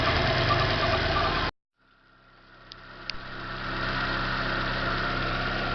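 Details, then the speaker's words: 2010 Corsa Classic after replacing both belts, the tensioner and the timing belt, with the noise traced to a scraping water pump: a steady, even idle, quiet with no noise after 21 minutes. "galera do prisma está resolvido galera montei tudo está funcionando que já faz um 21 minutos em silêncio sem nenhum barulho"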